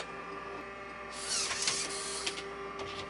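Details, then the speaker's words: Mac 512k floppy drive, cleaned and lubricated, with its eject gear replaced; a short rasping mechanical scrape with a few clicks as the disk ejects, as the replaced eject gear makes the travel sound scratchy. "floppy drive here has had it's eject key replaced so it sounds a little scratchy on the eject if you notice that on the video"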